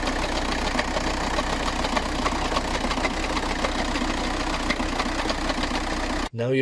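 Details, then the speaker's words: VW TDI with DSG dual-clutch automatic at idle: loose marble-like rattle runs steadily from the bellhousing area, with vibration through the vehicle, from a failed dual-mass flywheel. "the symptoms of a failure of this part is at idle it's gonna rattle it's gonna rattle quite a bit it's gonna have vibrations throughout the vehicle as well"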